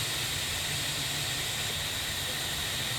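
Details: IPR valve on a bench with 12–13.8 V applied; the solenoid moves only slightly. The high-pitched air hiss stays completely unchanged when energized, so the owner assumes the IPR valve is bad.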